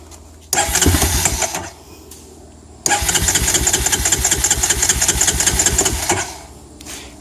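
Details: 2004 Honda Recon 250 ES, before carburetor rebuild: catches, sputters and dies, then refires and runs unevenly before fading; hard to start but runs fine once warmed; carb suspected, not confirmed.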